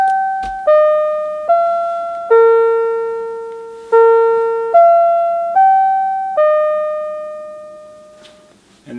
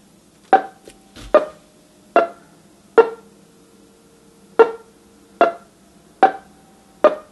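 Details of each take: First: A repaired NuTone LBC55 electronic musical door chime plays the standard eight-note Westminster cleanly: clear notes ringing and decaying evenly, with none of the croaking heard before repair. The chime is healthy. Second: A customer's NuTone LBC55 electronic musical door chime, powered up before repair with its LED display flickering, plays a Westminster chime as eight plinky, flat, uneven tones. It is badly garbled and the chime circuit is faulty.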